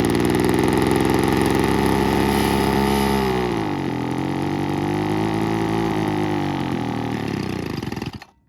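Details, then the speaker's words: 1980s/90s McCulloch two-stroke gas leaf blower (Zama C1U-M21B carb), rebuilt with a carb kit and new fuel and air filters, cold morning in the 30s°F: crisp buzz holds an even idle, sags gently twice, then shuts off cleanly. "But yeah, almost sounds like a chainsaw. It's pretty cool."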